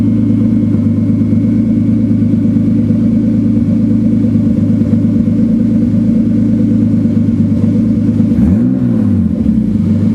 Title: Turbo 328 misfiring at idle. Super confused!